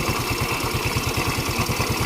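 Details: Yamaha Mio 125 scooter with a new regulator/rectifier plugged in during a charging-output check. A quick, regular single-cylinder putter stays even and steady with no faltering. It idles normally, and the regulator tests good.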